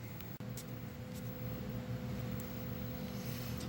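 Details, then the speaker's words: McKee snowblower drivetrain during rebuild, impeller just installed, bearings and gears being set: steady low gear hum with faint whine while turning evenly; gears slightly noisy, mesh set too tight, needs loosening a hair. "You can hear the gears are a little noisy right now. They need to be loosened up just a hair, and we should be in good"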